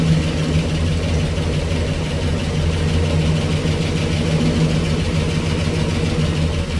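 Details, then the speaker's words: 1965 Cadillac Coupe DeVille V8, sitting 15 years, first start with Flowmaster exhaust, fuel delivery still being sorted: deep steady idle burble, no knocks or ticks, possible small exhaust leak, some smoke; normal idle. "I think she's going to on her own if I can get fuel delivery to this thing uh she sounds pretty good I might have a little exhaust leak up here but it's nothing we can't handle"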